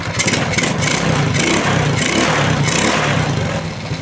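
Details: Honda Wave 125 (Wave R S) that stalled under a kilometre after starting, tested after repair: small single idles evenly and revs cleanly with no misfire or clatter, sounding healthy.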